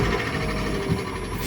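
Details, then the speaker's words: Alfa Romeo 147 Twin Spark 105 hp with a crank-no-start and no fault codes; with ignition on, the newly fitted fuel pump, recorded from inside with the seats down, gives a steady, even hum that never drops out. Normal fuel pump running. "And voila, and I can hear permanently the pump working."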